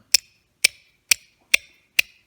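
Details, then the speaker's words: 1966 Ford Thunderbird convertible top male screw mechanism, removed from the car and turned by hand: crisp, even clicks about twice a second with no grinding or binding as the screw clutch slips freely; easy to turn, normal clutch clicking. "And you can hear it clutching. And it's really easy to turn."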